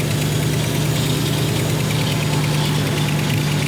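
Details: V8-swapped Ford Capri at idle with a big exhaust leak at the back and side of the 'pump' (as stated). A sharp hissy puffing rides on every firing pulse. Smaller leaks are also known; a new exhaust is to be built.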